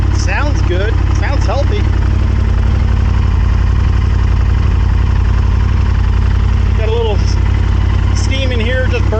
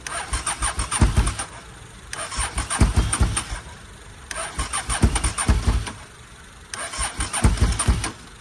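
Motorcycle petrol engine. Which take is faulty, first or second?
second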